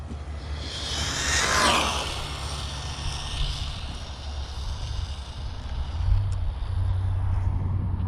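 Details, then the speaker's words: Rlaarlo X12S RC buggy on high-speed pass (lost pinion around 73.3 mph): high whine sweeps past, then motor RPM runs up freely with no drive or brakes; pinion came off despite Loctite. "I knew I knew it let go. I heard it. I heard the RPM just go berserk when it went by us."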